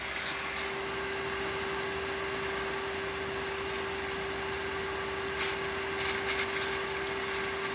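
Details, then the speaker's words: Grundfos CMBE pump running near 68 psi, steady whine under a gritty, loose rattle and hiss, though fairly new; owner suspected bad bearing. "listen to this like a rattle going on in there like a loose something's loose maybe a bad bearing this isn't that old"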